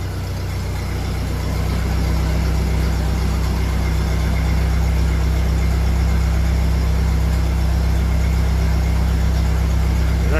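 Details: Steady, even low thrum with a smooth beat about four times a second, no misses or knocks; 1957 Ferguson 35 TVO tractor idling cleanly after its old Lucas key ignition, which overheated and starved the coil, was replaced.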